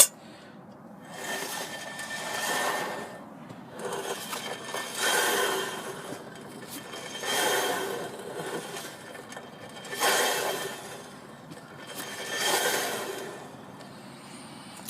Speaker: my drum brake pad are worn out and this is the noise that it's making